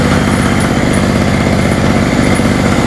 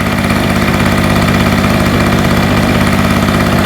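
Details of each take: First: Hurricane 850W 240V two-stroke generator after refuelling with a lower-oil mix and tightening the loose spark plug: steady even buzz with no surging, popping or misfires, running smoothly. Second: Hurricane 850W 240V two-stroke generator after its loose spark plug was tightened, warming up: a steady, slightly uneven, burbly buzzing idle, still very smoky. The fuel probably has too much oil in it.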